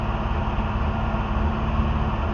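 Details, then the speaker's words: Barn-find engine after flushing 30 years of oil sludge, carburetor still needing repair: deep, steady idle sitting fast and hard right after start with choke on; owner suspects throttle turned up to keep it running makes it draw extra fuel. "She still idles hard when it cranks up. I'm assuming that's because the throttle is uh having to be turned up so much to make it run that with the choke on it's still making it pull more gas or something."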